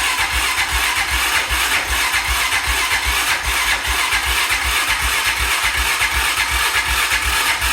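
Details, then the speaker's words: 2000 Honda Foreman 400 4x4, first start after long storage on gas of unknown age with the carb possibly dirty: the single cylinder pops along unevenly, stumbling and sputtering, as a wasp nest shoots out of the exhaust. Rough running after long storage. "run oh well that probably is an issue a was Nest just shot out of the exhaust so that might be one of the problems but it's running I got it running maybe it's idling at least it's idling"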